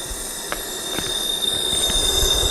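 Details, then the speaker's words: Jeep Wrangler 4.0 with a dead miss on two cylinders, leak-down test: steady high-pitched hiss of air escaping from the neighbouring spark plug hole; compression loss between the two cylinders from a failed head gasket. "So our compression loss is between the two cylinders. I was kind of suspect of that. I think I said that earlier in the video, that the head gaskets popped between the two."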